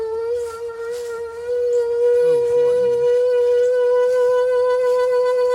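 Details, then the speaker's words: 1981 Cutlass (403 V8), unstarted for 2–3 years: loud, steady whine that climbs as the heater blower motor winds up, "like an airplane taking off". Owner says there could be a mouse in there; cause unconfirmed. Blower motor whine. "it's picking up momentum. It's like an airplane taking off."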